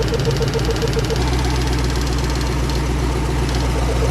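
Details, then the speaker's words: Long-parked 1977 Oldsmobile 98 Regency V8 on its first start with fuel drawn from the tank, idling with a steady, even beat and no misfire or stumble. It runs normally. "there it goes soon as it quiet down you know it's cool and fuel cool"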